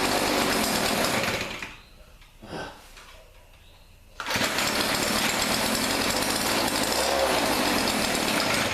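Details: Thrift-store Weedeater PE550 edger, small two-stroke, after carburetor cleaning, air filter removed: hard steady buzz, brief dip, back to full revs; runs, but only on choke and carburetor leaks fuel, flooding.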